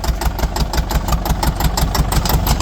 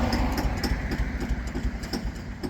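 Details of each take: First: Bulldozer diesel, running again after repair with its track refitted and adjustments made, clearing trees: loud, steady clatter at a constant beat with no misses or knocks. Normal running, though it later wouldn't shut down even after the fuel was shut off. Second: Bulldozer diesel keeps chugging with a slowing, fading beat after the fuel was shut off, running on before finally dying; engine wouldn't shut down on fuel shutoff, cause unknown.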